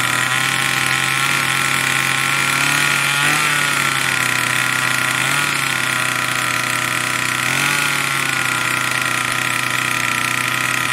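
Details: Troy-Bilt TB2MB two-stroke trimmer after a new short block is fitted, primed and choke on: holds a steady high buzz with brief dips, never dropping to idle; the throttle cable never returns fully to rest.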